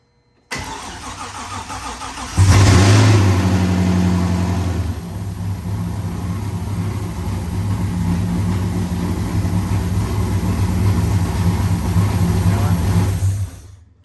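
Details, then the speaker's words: First start of a freshly built C5 engine with a drift cam and ported 243 heads: it catches and settles into a very loud, lumpy idle with a steady rushing undertone, sounding like a big vacuum leak (not confirmed). "does it always sound like it has a huge vacuum leak it sounds like it's sucking a lot of air from somewhere"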